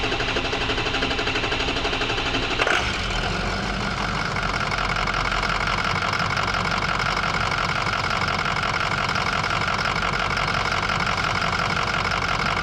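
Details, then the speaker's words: 2005 Ford F-250 with 6.0L Power Stroke diesel: cranks a few seconds before catching, then settles into a clattery, slightly uneven idle — verified hard start and rough idle complaint. "Bueno, como podrán ver, la dificultad de arranque es definitivamente una realidad y la marcha en vacío es ligeramente desigual."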